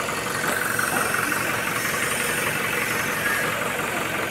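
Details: Toyota Hilux 2GD diesel (2019) after timing chain noise repair, ready for release: even, steady idle with a light regular clatter and no rattle or chain slap; engine idling normally.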